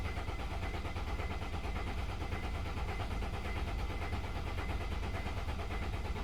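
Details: 2003 Mercedes ML 270 CDI diesel: steady starter churn, roughly three compression beats a second, engine never catches or fires; cranks but won't start.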